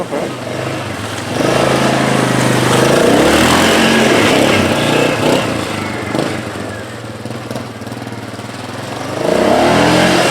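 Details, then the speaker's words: 1998 Yamaha Grizzly 600 4x4 single-cylinder, revived after years sitting by cleaning the carburetor, new lines and oil change; idles steadily, revs cleanly and drops back smoothly with no misses or knocks; running healthy. "clean the carburetor up change the oil she's good to go sounds good"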